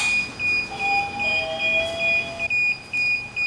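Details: DJI Phantom 4 drone remote controller, powered on during DJI GO app setup, beeps steadily and shrilly about twice a second.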